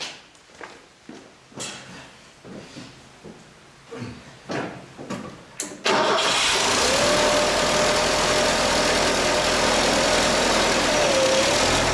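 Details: Bobcat 632 engine rebuilt for blow-by, with a new piston and new rings, reinstalled: after a few clicks and handling noises it fires and holds a smooth, steady idle with no ticking or puffing, healthy after the repair.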